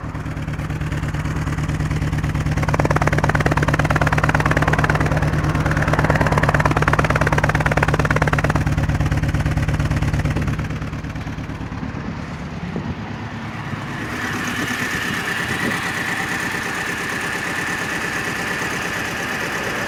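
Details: R53 MINI Cooper S idling with a steady, lumpy beat from a dead cylinder 1 misfire: zero compression, with a slack timing chain and broken guide rail found afterward.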